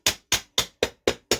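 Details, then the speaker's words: 3D-printed PLA rotor assembly with carbon fiber rods: magnets tapped down into place give seven crisp, bright, high-pitched taps about four per second, showing each magnet has bottomed out against the porcelain and is seated. "and if i hear that sound that high-pitched sound that means i know the magnet is hitting this porcelain"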